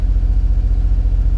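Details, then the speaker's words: Nissan Z idling cold around 1800 rpm after a cold start, following fuel line work: steady, even low rumble with regular pulses, no misses or knocks; healthy fast cold idle, better than before. "looking pretty study cold around 1800 which is probably about right"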